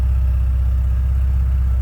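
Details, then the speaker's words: 1986 Porsche 944 Coupe warming up, heard from behind the car at idle. Stock exhaust; even, steady low thrum with smooth regular firing pulse, no knocks or misses; sounds showroom-fresh and healthy. "Sounds like you'd expect to sound right off the showroom floor. Very stock sounding, no crazy exhaust."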